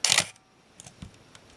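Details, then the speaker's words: Minolta X-700 35mm film SLR with 50mm f/1.7 lens, stepping down through shutter speeds on test batteries; crisp mirror-and-shutter snap then faint mechanical ticks, a clean, even shutter release working normally. "So I thought what we'd do first is step down through the shutter speeds."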